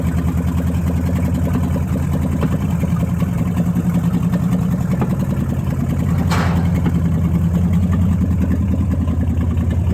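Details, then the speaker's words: Dodge Challenger revived after 35 years, after replacing fouled spark plugs and fixing a vacuum hose on an engine that ran rich: a deep, even V8 idle burble with no misses or knocks. Normal idle. "lf and it idles so much better now so i'm excited to really hear uh what this thing sounds like"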